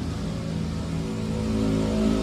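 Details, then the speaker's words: Yamaha Mio J/Xeon RC/NMAX-type scooter with very high idle and hard starting; steady elevated hum never dropping to proper idle; throttle body idle speed control plunger not moving forward, IAP sensor weak, TPS apparently still adjustable. "kita perbaiki throtel body yang bagian ideal Speed controlnya yang rusak kenapa langsamnya enggak bisa turun itu dikarenakan fluger ini enggak maju ke depan"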